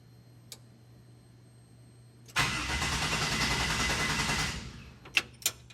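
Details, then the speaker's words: 1967 Chevy C10 with LS1 swap, first try with newly wired ECU: starter spins steadily about two seconds without a single firing stroke; crank no start, no spark since plug leads weren't on the coil packs. "Well, it usually helps if you hook the uh spark plugs up to the coil packs."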